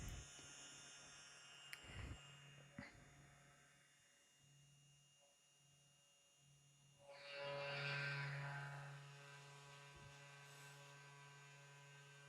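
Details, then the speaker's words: Easel carve on a CNC router with spindle switched on: steady high spindle whine over mains hum, swelling into a brief rush of cutting noise midway as it carves; normal operation. "It might get a little loud. Now that the spindle's on, I can confirm that it's on."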